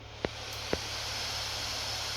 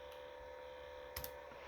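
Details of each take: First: Acer Predator Helios 300 (PH315-53) laptop after cleaning dust from fans, running at max speed: steady even airy whoosh without rattle or scrape; still audible but much less annoying. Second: Acer Predator Helios 300 PH315-53 gaming laptop (i7-10750H, RTX 2060), about a year old, fans at lowest speed around 2200–2300 rpm at idle with nothing open: faint steady whir with thin constant tone from dust-laden cooling fans, one day after cleaning.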